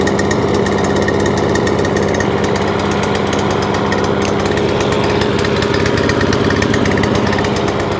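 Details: Free scrap lawn mower, after fitting a new spark plug: steady but lumpy low drone with an uneven beat, never clearing, as if stuck on choke. Owner suspects the carb assembly jumped over onto choke or the carburettor linkage isn't opening and closing properly; unconfirmed.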